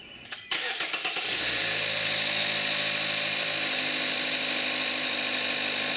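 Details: 2014 Kia Forte5 2.0 GDI, 41,000 miles, synthetic Amsoil 5W-30, May 2017, recorded on the camcorder's built-in mic: short crank that catches cleanly, then a steady idle with light injector ticking; a healthy cold start.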